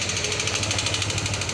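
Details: Yamaha NMAX 160 scooter at idle with a fast, sharp metallic clatter about thirteen ticks a second, after a failed camshaft bearing dropped the cam chain; bearing replaced and valves adjusted but the noise remains.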